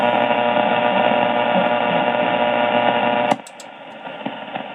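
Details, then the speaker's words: Ham radio receiver with suspected nearby power-line interference: harsh, steady raspy buzzing hiss behind the signal that drops away sharply when the MFJ-1026 noise canceller is switched on, without the signal dropping. "if i turn the this off you may it still may be clear but you may hear the the rasp is in the background"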